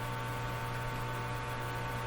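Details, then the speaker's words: Eatons Universal Electrohome floorstanding tube radio during signal injection testing: steady low buzzy hum under faint hiss at full volume; mains hum through speaker, suspected not from the stage being tested, cause unconfirmed. "so now there's a hum there I doubt the hum is coming from here"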